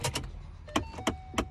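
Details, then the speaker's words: 2012 Ford Mustang at key-on: sharp pops from inside the dash as the blend door actuator slips while trying to adjust. Heard when switched to defrost, not the bottom setting; the actuator is being replaced. "and you hear that that pop it it's basically the blend door actuator is trying to adjust and it's popping"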